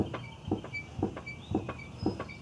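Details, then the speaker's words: 2001 Volkswagen Jetta VR6, left rear body pushed down by hand: quiet dull thumps about twice a second from the left rear suspension, cause unknown; car to be jacked up and rear shocks removed. "Now over here on the left side, we got kind of like, it sounds to me like a little bit of a thumping sound."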